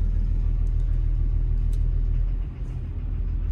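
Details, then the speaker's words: Construction machine diesel at idle: deep thumping rumble with knock about three times a second and black smoke; injector knock suspected, cutting injectors one by one via laptop, not 1, 2, 3 or 5. "bit of a diesel knock bit a black smoke beling out of it too so we'll see"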